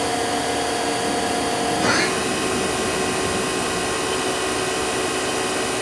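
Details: 1999 Daewoo DMV-500 vertical machining center with a Mitsubishi control, spindle run from 1000 up to 8000 rpm: steady motor whine stepping between speeds, clean and even, no vibration, grinding or rattle; normal spindle run.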